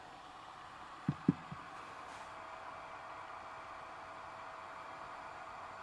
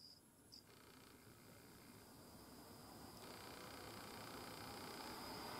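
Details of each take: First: GMA465 multicharger after replacing its DC cooling fan: soft, even hiss with no rattle or buzz after a couple of handling clicks; quiet after hours of use, fan noise repaired. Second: GMA465 multicharger, new, 40 mm 5 V DC cooling fan after about 20 hours of Ni-Cd charge cycles: thin steady high whine over an airy whir that grows louder; fan shaft suspected, noise reproduced by shaking the running fan.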